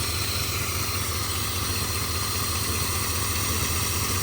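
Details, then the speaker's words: 1971 Ford V8, first start in 27 years, running on a temporary gas tank: even, steady idle with a low pulse of two or three beats a second, running on its own; normal idle. "Got my little gas tank hooked up there, and she's running by herself."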